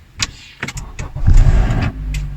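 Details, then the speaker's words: Honda engine, earlier recording made before Valvoline Restore and Protect oil treatment: starter cranks, the engine catches, and a harsh cold-start rattle lasts about half a second before it settles. Suspected VTC actuator or oil-pressure-operated timing chain tensioner, not confirmed. "now the cold start rattle this is either from the very variable timing actuator what Honda calls the VTC actuator or from the timing chain tensioner it will usually happen at Cold starts for about a second or so"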